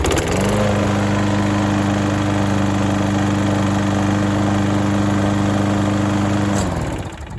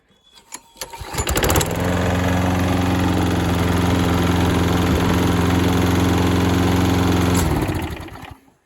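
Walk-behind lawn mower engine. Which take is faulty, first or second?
second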